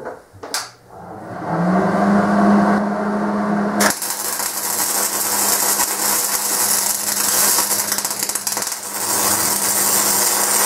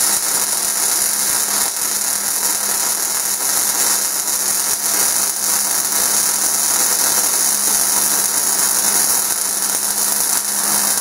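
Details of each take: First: so that was a really fast wire speed so it was just putting out way too much wire you guys could hear it popping and it's called stubbing Second: MIG welding at the correct, recommended wire feed speed: steady, even crackle like frying bacon, cutting off cleanly, unlike the sound of too-fast or too-slow wire feed.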